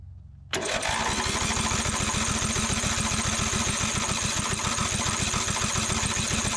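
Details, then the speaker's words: 2004 Craftsman DYT4000 riding mower, Briggs & Stratton engine, fuel poured into curved intake tube, PTO disengaged, brakes set: fast even chuffing that kicks briefly but won't keep running; owner suspects too little fuel reaching the carburetor. "i'm having a hard time getting enough fuel down into the into the carburetor because of the it's got the intake tube that curves around so let's see there we go sound like it kicked over that time"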